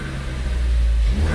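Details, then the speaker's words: Ford Focus ST with a new K03 replacement turbo, cold, free-revved in neutral with no load: a faint steady whistle rises over the engine as it spools. It is a sound never heard on the other car, with no leak hiss; normal turbo spool. "yeah that that little whistle even with the air filter box come take it off I still didn't hear but now it's like"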